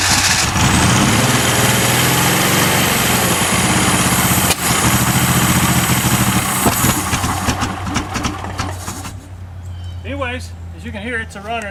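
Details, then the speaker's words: Donor 1977/78 Datsun 280Z engine, sat outside, slightly seized, oil put in cylinders, fed fuel by hand with a little throttle: catches and settles into a steady, slightly ragged beat, smoking from the oil; engine runs. "as you can hear it's a runner I think we got a good engine here"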